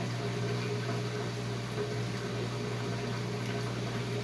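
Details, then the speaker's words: Whirlpool Duet front-loader washer that had long drain cycles, error codes and a locked door: drain pump running again, steady low hum with water gurgling out of the drain hose, no grinding or rattle; smooth and quiet. Normal drain pump running. "There's the pump running again. I can really hear the hose coming, the water coming out of the hose here."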